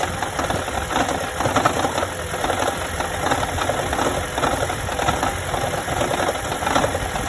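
Running engine with an irregular light knocking and rattling tapping through it, roughly every half second; an odd noise, cause unknown.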